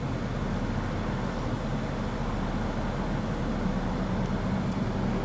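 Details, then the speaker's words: 2018 Infiniti Q60 AWD, 3.0L twin-turbo VR30DDTT V6, warm idle with slight stumbling misfire; codes P0300, P0022 bank 2 cam timing over-retarded, P0106; fuel trims fluctuating, tach wavering, running lean; cause bank 2 cam timing off. "Got a little bit of stumbling and misfiring going on."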